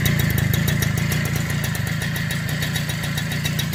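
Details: Super XL motorcycle single-cylinder engine at idle after cleaned silencer/muffler refitted; even steady putter with clean exhaust beat, no rattles or misses; normal idle.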